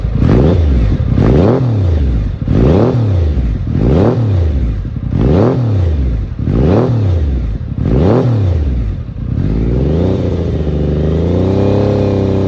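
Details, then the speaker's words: Triumph Daytona 900 Super 3 triple with an SP Engineering exhaust: seven or eight sharp throttle blips up to about 4,000 rpm, then a steady, slightly low idle. Normal, healthy revving and idle. "lovely triple engine um lovely SP Engineering exhaust it sounds absolutely amazing makes me smile every time"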